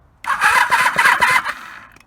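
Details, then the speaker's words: 1984 Honda V65 Magna VF1100C barn find on a battery that needs charging: about a second of fast, even starter whirr with steady compression pulses, engine spins freely without firing; normal cranking, not yet started. "turns over now I'm not going to test it yet I don't really want to start it yet because that battery needs charging"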